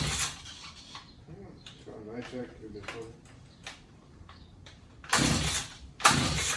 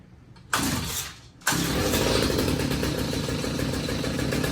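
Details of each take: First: Stihl HS45 two-stroke hedge trimmer found in hard rubbish, has compression: four pull-cord rasps with no firing; no-start, with very weak spark on the plug. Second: Stihl HS45 two-stroke hedge trimmer after fixing clogged spark arrestor and cleaning carburettor jets: fires after a brief pull, holds a steady buzzy idle without stumbling; running properly.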